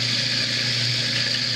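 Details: Kitchen sink garbage disposal with a worn splash guard, checked during a home inspection. An even motor hum under the steady hiss of running water, no grinding or rattling: it spins freely and runs normally.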